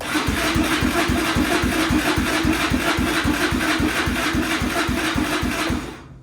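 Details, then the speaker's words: 2001 Yamaha Raptor 660, first start attempt after purchase as broken, neutral switch on: starter spins engine in steady chugs about four per second for six seconds with no catch; cranks but won't start, owner suspects carb issue. "it's a good sign I mean it sounds like it's trying to crank might be a carb issue for [Music]"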